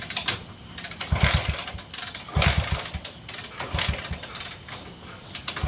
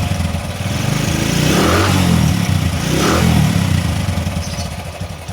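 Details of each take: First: 20-year-old CT 100 before repair: repeated kick-start bursts every couple of seconds fail to catch before it finally fires; hard starting from weak spark at the plug, later fixed by reducing plug gap. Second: 20-year-old Bajaj CT 100 motorcycle with a starting problem from weak spark-plug current, after cleaning and regapping the spark plug: catches promptly, settles into an even putter with two throttle blips; normal starting and running.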